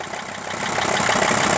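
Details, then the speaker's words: Mercedes ML 2.7 diesel with knocking at startup, gearbox removed and dual-mass flywheel bolted solid: knock still heard over diesel clatter as revs rise, ruling out the flywheel; crankshaft suspected, possibly loose main bearing seats; engine knock. "При запуске работает двигатель, такой стучочек. Поэтому 100% исключаем двухмассовый маховик, биение, а то, что что-то с коленвалом."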